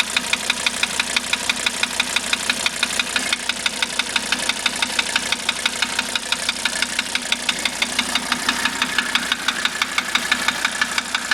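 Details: 1985 Mercedes 300D diesel at idle with a sharp, even tick about twice a second; steady engine knock of unknown cause, owner asking what it might be.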